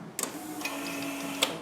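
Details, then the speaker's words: Project car on first start after 5-month winter build: key-on without cranking brings a steady, even electric whir just over a second, then shuts off; fuel pump priming the rail normally, fuel pressure confirmed. "Prime the fuel system so like don't turn it on all the way just listen for the fuel pump to turn on"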